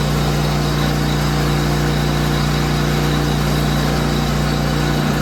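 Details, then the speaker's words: Small single-cylinder engine on a free 30-inch, 10-horsepower snowblower, fuel on, choked and primed, fires up and settles into a steady, even putter with no misses or knocks; normal idle. "And we're going to turn her on. Turn the fuel on first. See, she fires up."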